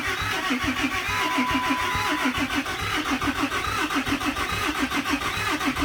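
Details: 2008 Dodge Ram 3500 6.7 Cummins diesel no-start, after fuel priming with lift pump running: steady cranking about a beat per second, never catches; owner checking whether the fuel system is self-bleeding.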